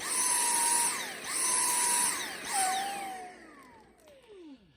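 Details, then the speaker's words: Dyson V6 handheld battery vacuum surging while vacuuming: high motor whine cuts out and spins back up about once a second, caused by clogged washable filters rather than the battery. "So when you talk about it surging, it's when you're running the machine and it just starts to cut out, and it'll sound like this."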